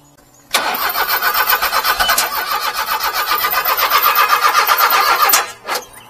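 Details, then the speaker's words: Mini-truck that lost power on and off then stalled, quarter tank of fuel: steady fast cranking about four beats a second with uneven pops and puffing, getting fuel but won't catch; timing belt suspected, unconfirmed. "you think the timing BT went wa it's popping like that well it was running good and then it just like acted like it"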